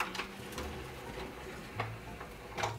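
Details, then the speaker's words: Sealed-new 2000 Sharp CD-BA200 stereo, 25 years old, first power-on: quiet light clicks and short motor whirs as the cheap CD tray mechanism shuffles; cycling normally, nothing binding, no error messages. "Okay, well, that was one of my big questions, whether or not this whole tray mechanism was still going to be worth a crap. Because, yeah, it's very cheap."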